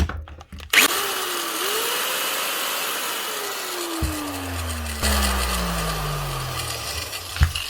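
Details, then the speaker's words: Cheap Halfords grinder after plug repair: high whine winds up, then coasts down with a gritty, rattly roughness underneath; gears rattly and bearings shot, running but not worth fixing. "It's running, but that's all I can do. It's not really worth anything else. Gears are shing rattly. The bearings sound shot."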